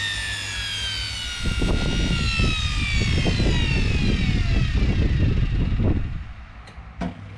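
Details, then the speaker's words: Electrolux EWF771 7 kg front-load washer in the spin-dry test after a no-wash, no-spin, motor-not-turning fault: motor whine glides down as the empty drum coasts, only soft thumps and no banging. Spin is normal and the drum bearings are still quiet. "ถือว่าตัวลูกปืนถังยังแจ่มเลยนะไม่เจ้าอะไรไม่ดังนะครับหรือว่าเขาเปลี่ยนแล้วก็ไม่รู้นะ"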